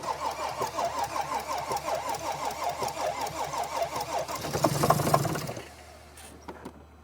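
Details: 2014 Mercedes GL350 3.0 L diesel, sometimes starting then dying after two or three minutes: steady starter cranking at about three turns a second for five seconds, never catching even with starting fluid sprayed into the air intake tubes; crank, no start.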